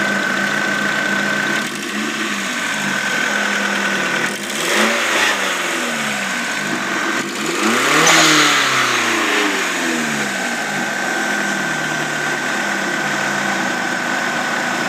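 Steady idle with a quick light tick running about four a second and a couple of revs on top; sounds like a small exhaust leak. Cause suspected, not confirmed.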